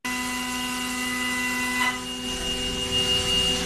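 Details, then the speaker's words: Milling machine with a two-flute end mill cutting at a stable spindle speed chosen inside the chatter-free pocket. Steady, even milling hum over light hiss with no chatter. Forces are about four times lower than at 15,400 rpm and surface finish is good. "surface condition is Good Vibrations are gone you can hear machine suffing at this frequency"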